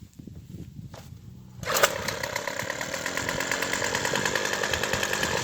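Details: Craftsman "Sim-Pull" two-stroke string trimmer with a replacement aftermarket carburetor, tuning needles adjusted by ear: quiet ticking idle rising to a steady high buzz with no bogging; normal running.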